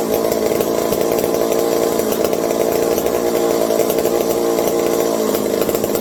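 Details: McCulloch 740 chainsaw after coil gap fix and swapped spark plug: screams at a high even pitch, no stumbling or dropouts; runs clean and strong. Owner hopes no air leaks; loose carb linkage wants to hold about quarter throttle and may run lean.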